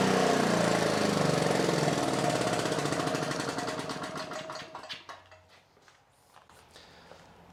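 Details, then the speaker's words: Victa Pro 550 Mulcher Slasher two-stroke mower after repair (vacuum leak through a cracked diaphragm made it run away and not idle back; white cap fitted): even, crisp buzz holds steady without surging, winds down cleanly at shutoff; running properly. "So obviously that takes off like a bit of a rocket."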